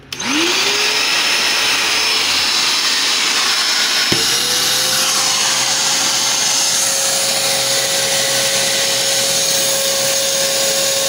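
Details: Kärcher NT3000 wet/dry vacuum after motor repair for a deafening noise complaint: motor spins up to a clean, steady whine, restarts and settles at a smooth pitch with no rattle or grinding; normal running.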